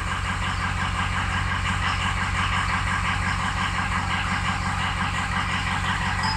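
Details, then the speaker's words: Ford Excursion diesel at idle, radiator full of stop-leak debris; uneven lumpy beat about three pulses a second as cylinders 5, 6, 7 and slightly 3 drop off on the test: weak injectors, full set recommended. "I'd throw a whole set in it you know look at five dropping off six dropping off number seven number three is dropped off a little bit"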